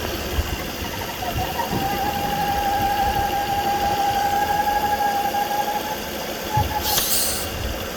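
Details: 2009 Volvo S40 2.4i B5244S7 idling with a sudden steady mid-pitched howl, worst at idle, gone above 1500 rpm; about 4 inHg crankcase vacuum, oil cap hard to remove; owner suspects a bad PCV oil trap.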